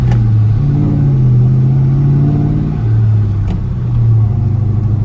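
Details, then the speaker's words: Ford Mustang GT (New Edge), 75,000 miles, driving after a loose part by the door window regulator was pushed back in: steady engine drone and road hum, the former door rattle is gone. "But let's go for a drive and you can hear the noise is gone. Perfect."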